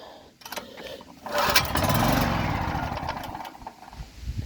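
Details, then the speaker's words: Champion 3000 W (4000 W starting) generator with fresh premium fuel, a new spark plug, and fuel and choke on: one pull gives a few ragged pops for a second or two, then it dies; later fixed by cleaning the carburetor. "If I leave it for 5 or 6 minutes on the first pull, it'll sputter like it did there for a second."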